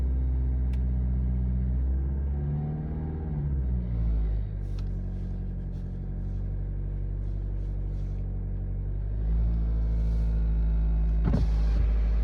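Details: BMW X3 G01 2.0 diesel, cold start: a steady, fairly even knock about three or four a second over the low idle rumble. The cause is unknown. Cold-start knock.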